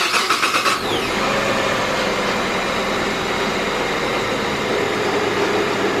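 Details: 2005 Hyundai XG350L with check engine light and codes P0350, P0300, P0302, P0305: engine starts and settles into a rough, lumpy, stumbling idle that sounds like one cylinder misfiring though codes show two; cause not yet diagnosed.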